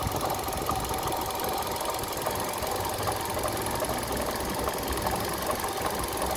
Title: Стук двигателя Kia Rio 3